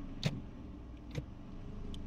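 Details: 2011 Hyundai Sonata with DTCs P0705/P0365 and a "bog" sound when shifting, after repair/update: steady low idle with only light clicks as the lever moves through P-R-N-D, no heavy clunk.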